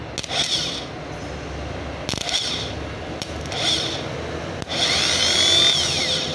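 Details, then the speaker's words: Surplus starter from a 4JG2 engine that wouldn't start, bench-tested after cleaning the carbon brush contacts; short high whirring bursts spinning up freely and winding down, no grinding or clunks, a normal starter spin, though the thin test wire gets hot. "Ayan function na siya guys anginit pa maliit lang yung wire Testing lang yan Okay na siya guys good"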